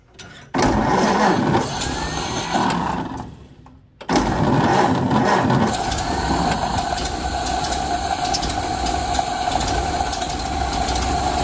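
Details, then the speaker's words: 1928 Ford Model A, long-sitting, after carburetor rebuild (old fuel like chocolate milk) with new fuel strainer; idle and adjusting needles set one turn out. Engine catches after cranking and settles into a weak, uneven idle, barely running. "it's running but just barely"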